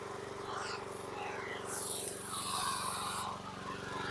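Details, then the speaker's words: 2014 Troy-Bilt TB130 mower engine idling steadily but a bit slow, its firing beat slightly lazy; RPMs slightly under par, and the idle needs adjusting up. "So you can hear the idle's a little low. When he first dropped it off, he did mention that to me when I started. He said, "Oh, the idle's a little low," and I said, "Yeah, it does need an adjustment."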